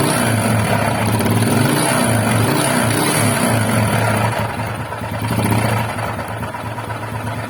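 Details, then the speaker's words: Honda XRM125 with a noisy engine, owner suspects camshaft, camera held close: hard rhythmic knocking about four a second following the revs; possibly piston, cam chain, connecting rod or crankshaft bearing, engine to be disassembled. "So, una kasi, maraming ingay yan, no? Pwedeng piston, camchin, connecting rod, or crankshaft bearing. So, iba-ibang sound, no?"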